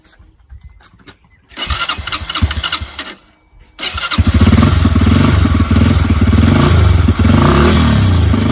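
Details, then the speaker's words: Cold start of a Yamaha YBR 125 single after its MOT repairs: a short first try, then it catches at about four seconds and settles into a steady, even idle. Normal cold start and idle. "so now I'm going to start the bike up it is cold so I'm just going to turn the ignition on"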